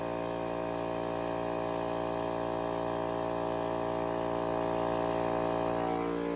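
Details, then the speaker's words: Vintage Craftsman air compressor, worn and with a pressure switch that no longer shuts off, humming steadily until a rushing hiss as a test pop-off valve opens at its printed 111 psi rating, working as it should. "so i'm pretty impressed with that given that this is probably the only time that things ever actually open"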